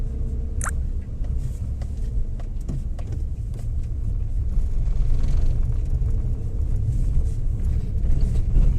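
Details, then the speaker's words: Maruti Suzuki Alto 800 driving after axle repair: low steady road rumble and engine drone, no thumping or clunk. Before the fix, strong vibration and rattling came into the body when pulling away in first or reverse; now no vibration felt. "नहीं आ रहा वो पहले एकदम एकदम ज्यादा vibration आता था अंदर बॉडी में अभी फील नहीं हो रहा"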